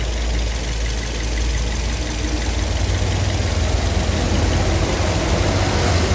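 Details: Car after timing chain (rantai keteng) set, engine mounting and spacer replacement: warm engine idles smooth and even with soft steady rumble, no chain rattle or ticking; vibration at wheel and seat now gone.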